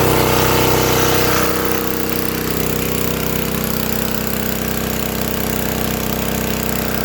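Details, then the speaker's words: 1964 Lincoln Weldanpower 150 welder engine after new coil, condenser, plug, wire, fuel line, filter and reset points (no-spark cause: magnet rubbing coil): loud even beat settling to steady idle, no misses; runs well. "as you can tell she's loud and she does well"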